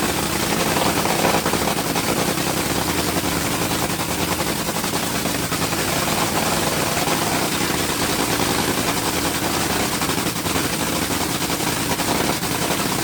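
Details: Top Fuel Dragster engine after rebuild, switched from alcohol to nitromethane: loud, crackling, fast-firing supercharged rumble idling steady and even throughout; normal idle on nitromethane.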